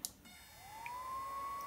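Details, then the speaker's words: Gen 1 BioLite CampStove, over 6 years old, stored in a hot attic (~125°F); fan spins up to a steady thin whine on low while plugged in; owner suspects the internal battery is dead, since unplugged the pitch changes and the fan cuts out. "the fan running at normal speed on low to stoke the initial flame until it can generate enough heat to kick over to high"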